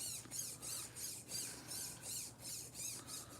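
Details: SCX10 RC trail crawler with newly installed radio and gyro, running 7.4 volts: quick high-pitched whirring bursts about three per second as the servo hunts back and forth. Gyro steering correcting normally.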